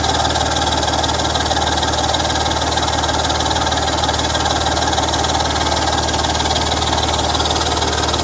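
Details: BMW M54 engine at idle: sharp, fairly regular ticking about two per second over steady idle, exhaust leak.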